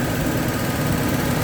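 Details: Toyota gasoline engine idling steadily after starter motor and main cable repair (washers cleaned, back-to-back washers fitted); even low rumble with no knocks or misses, battery reading 13.7–13.8 V running, alternator charging normally.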